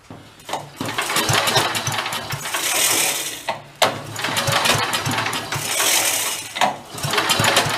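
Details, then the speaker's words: 54-year-old abandoned Mite-e-Lite generator, choke apparently off: repeated pull-start bursts every few seconds, each a brief cough then dying. Owner suspects head gasket or a past exhaust leak, oil possibly fouling fuel. Won't run. "off lots to go and then Peters out try it that doesn't want to go"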